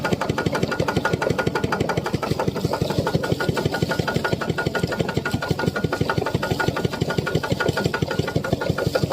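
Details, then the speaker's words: Piston pump whose crankshaft set knocked loudly and rusted from lack of lubricating oil, now refilled with about 1 litre to half level: smooth, steady thumping at about ninety strokes a minute with no knocking; normal running. "โอเคครับมันมีเสียงดังเพราะว่าไม่มีน้ำมันนะครับผมใช้ได้แล้วครับผมเมื่อเช้านี่มันดังแรงมากเลยเพราะว่ามันไม่มีน้ำมันหล่อลื่นนะเนี่ยสบายแล้ว"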